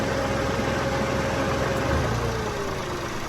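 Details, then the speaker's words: Peugeot 107 at idle just after a DIY R134a air-con regas: the compressor hisses as it kicks in and clunks in and out rapidly while the engine struggles and its tone sags. The cause is suspected, not confirmed. "The compressor hissed when it kicked in. And I'm thinking, what the heck? That didn't sound right. The engine's really struggling. Doesn't sound right. It's clunking in and out really quickly."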